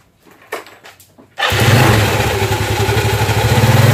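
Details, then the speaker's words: Scooter (matic) CVT demonstration: quiet, then engine catches and pulls up smoothly in an even climbing drone with no stumble or power dip; sliding sheave moves normally, belt and clutch engaging in sequence. "jadi seperti ini kalau jika bagian Eh slidding ini normal gerakan mainnya itu Dia panbelnya masuk gang selingnya buka dia berurutan seperti barusan tidak anjlok"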